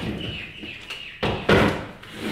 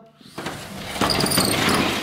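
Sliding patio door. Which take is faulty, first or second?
second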